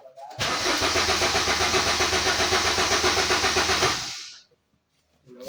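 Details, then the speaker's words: 2015 Suzuki Swift that won't start and shows no fuel-gauge reading, with fuel pump wiring found cut, apparently by rats: the starter cranks at about four even strokes a second for under four seconds and it never fires. "हमारी गाड़ी start नहीं हुई।"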